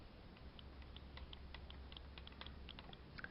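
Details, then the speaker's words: BMW X5 window washer pump motor removed and run on 12 V battery: faint uneven clicking over low hum; worn shaft seal let fluid into motor, rusted inside and barely turning. "so here's the seal and when the seal wears out all the fluid goes into the motor and it starts to rust I have this motor hooked up to a 12 volt battery and you can hear a little clicking sound that"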